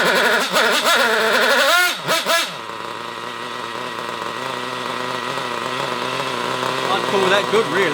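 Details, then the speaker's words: Hobao Hyper nitro cage buggy, previously seized engine, now running: thin, high buzzing rev that wavers and hunts instead of holding steady, sounding lean and rough. Owner blames an unhealthy carburetor rather than tuning and expects more running to clear it. "It needs to be tuned and all this other bollocks that you all talk about, but the carburetor is not very healthy, so that's why it sounds like that."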